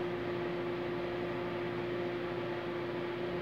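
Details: Consul CMA20 microwave heating a cup of water: steady low hum with a clear tone and even fan whoosh, no buzzing.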